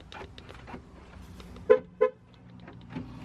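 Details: Diesel pickup with neutral safety switch bypassed and downpipe unhooked, first start after sitting: two sharp horn honks about a third of a second apart over a quiet background. Horn honks on start; blamed on the transmission being out, not confirmed.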